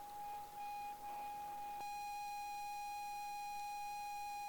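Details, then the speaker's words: 40-year-old ZX Spectrum game cassette being loaded: steady pure leader tone near 800 Hz over hiss, then no data warble follows; tape judged bad, program fails to load. "That's not a good tape. So that one's also bust."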